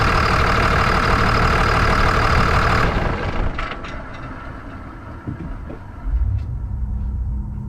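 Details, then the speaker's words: 1999 Ram 2500 24-valve Cummins diesel after head gasket replacement: loud even clatter settling to a quieter steady idle with no misses, much smoother than before; normal diesel idle. "But now that we got it running, it runs nice and smooth. It's loud, but you can tell it runs a lot smoother than it did."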